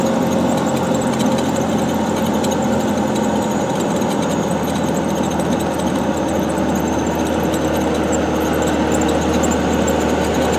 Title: NV5600 making weird noise